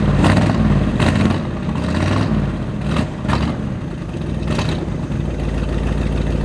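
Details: 1979 Ford F-150 with a modified 351 V8, abandoned in a back yard, started by pouring fuel into the carburetor: running rough and uneven, surging and stumbling, won't stay running; suspected carburetor or fuel pump fault.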